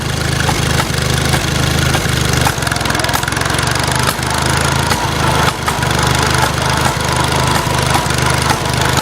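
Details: Farmall Cub tractor at steady low idle with sharp, irregular popping cracks about every half second; cause unknown.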